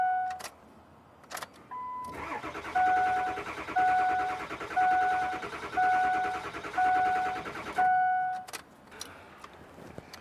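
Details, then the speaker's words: 2003 Ford F350 7.3L diesel with the IPR regulator and a sensor disconnected: six bursts of starter cranking with a steady chime behind them and no firing. A crank, no-start that is intermittent, with a low-boost code stored. "All right. It's still not starting."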